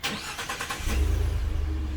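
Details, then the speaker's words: 2015 Ford F-150 Lariat, 3.5L EcoBoost, stock exhaust before the Corsa exhaust install, idling: very quiet, smooth, low rumble with an even beat, no ticks or rasp; dead silent, healthy. "so it is dead nut silent"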